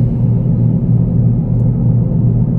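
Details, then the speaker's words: Mitsubishi Outlander, front-wheel drive, while driving; deep droning "grok" rumble from the running gear that grows louder as speed increases; suspected worn wheel bearing or unevenly worn tyres, not yet confirmed. "Ini kalau nambah kecepatan, dia makin lama makin bunyi. Makin kencang makin bunyi. Grok."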